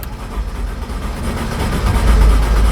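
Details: 2007 Mercedes E350 (W211) crank no start with fuel pressure over 50 psi while cranking: the starter churns the engine steadily with a slightly building rumble, but it never fires.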